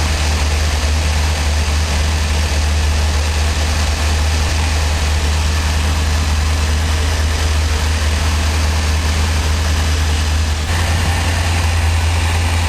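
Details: 1984 Corvette with Crossfire Injection, cold start at about 25°, before coolant temperature registers: a deep, steady, even rumble with no misses or surges; a normal cold idle after restoring the Thermac heated air cleaner system.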